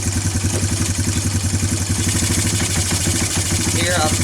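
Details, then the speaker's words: Timberwolf four-wheeler with a Mikuni carburetor running slightly rich: a lumpy, uneven, loping idle that stumbles when the throttle is barely touched and clears with more gas. Off-idle stumble; needle setting suspected. "I'm just barely touching the gas. It goes away once I hit the gas, but that's usually a sign of the needle being off."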